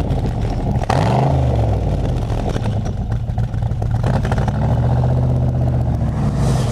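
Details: Engine blipped up and down with a rough, lumpy pulse and clatter between revs; sounds like it is missing on a cylinder, misfire suspected, not confirmed.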